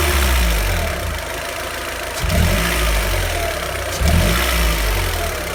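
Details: Car engine idling with an uneven rough beat and a couple of heavier surges; owner notes idle has recently become noisy, abnormal idle noise with cause unclear.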